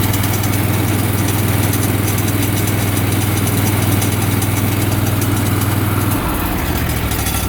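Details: Aftermarket PTO clutch on an Exmark mower, about 15 hours since new and worsening: loud steady low drone with rough rapid rattle, pitch dropping near the end; noisy clutch, cause unknown.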